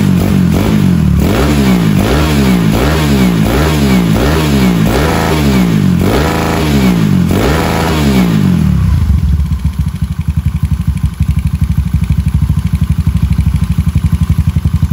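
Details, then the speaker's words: Honda Beat carburetor engine rebuilt from scratch to 130cc with standard valves for daily use, with new seals and just run in: about eight quick throttle blips with revs snapping up fast and dropping cleanly, then a steady idle; quiet exhaust, healthy. "Oke, kalian sudah dengar sendiri untuk gas-gasannya, respon-responnya seperti apa. RPM-nya cepat banget naik."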